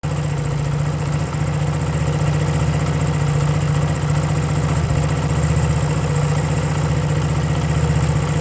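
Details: 1975 Honda CB125S small single idling: choppy beat that keeps stumbling and skipping, ignition misfire from worn contact points, new points ordered.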